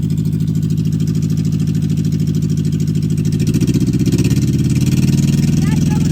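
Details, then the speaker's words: 1964 MG Midget Mk II after 30 years sitting, about 38 psi oil pressure, revved: steady, even low exhaust rumble climbing smoothly, no knocks or misses; started surprisingly easy, nasty carbs still need rebuilding. "nice good all right well there you have it uh she started surprisingly easy"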